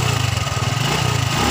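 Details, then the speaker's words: Honda Revo fuel-injected motorcycle, parked 2 months, battery about 11 V, that would not start: runs after cleaning the dirty fuel pump filter, steady even low putter with regular firing, no knocks or misses. "setelah kita starter kita ingin menghidupkan kontak dan menghidupkan motor ternyata berhasil ya guys"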